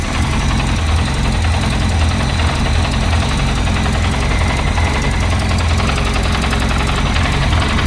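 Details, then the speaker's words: Peugeot 205 rebuilt engine, first start after rewiring plug leads to firing order 1-3-4-2, ignition timing set by guess and carburettor unadjusted: low, lumpy idle that hunts and stumbles unevenly. "l'allumage est calée au vif et le rien n'est rien n'est calé il a démarré on sent que t'es pas bien"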